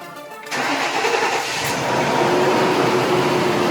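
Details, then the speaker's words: 2003 Lincoln Aviator with the InTech 32-valve V8, first start after replacing the coil packs for a two-cylinder misfire (plugs replaced earlier): quick crank, catches at once and settles into a smooth, even idle with no stumble; sounds much healthier. "Woo! That sounds a lot healthier."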